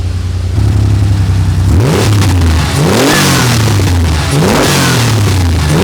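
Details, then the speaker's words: Porsche 930 Turbo after engine work, belts being tightened, squeak suspected at the throttle linkage: three crisp, clean rev blips from a steady idle, smooth and even. A healthy, responsive engine. "but this thing is gonna hoon when it's out on the road that engine is brilliant"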